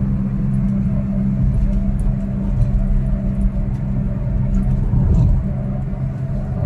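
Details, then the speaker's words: Perodua Alza driving: steady low drone under road rumble that grows louder with speed, from the front left and right, worn wheel bearing; tyres should be checked first to rule them out. "Uh Kalau makin kalau kita makin laju makin kuat dp-nya bunyi berdengung dekat depan sini kiri dan kanan so Itulah masalah di pada bearing"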